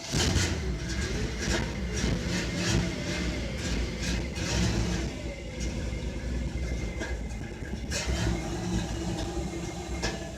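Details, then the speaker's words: Cold 1962 Chevrolet Impala with the original 283 carbureted V8, idling and revving: an uneven, stumbling beat under the rumble, sounding like a cylinder missing. The owner thinks it needs new spark plugs; not confirmed. "cold and sounds like she's missing need to put some new spark plugs in it guess you can hear that"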